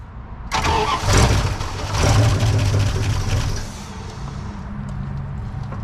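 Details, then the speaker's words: Junk Dodge Ramcharger, third start attempt after a starter change, gas already added: starter churns about three seconds but the engine never fires; crank-no-start, no fuel reaching the engine, fuel flow apparently untested. "nope no fuel yet go again try it again try it again did we test this one to make sure it had feel flow I don't think we did"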